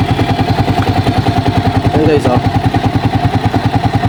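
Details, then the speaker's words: Racal 125 tricycle engine with valves unadjusted for two years, before adjustment: steady single-cylinder idle with a light, regular tick about three a second, not yet loud; loose valve clearance, adjustment due. "So ayan guys umaandar na siya. Meron kayong naririnig guys na tumitiktik."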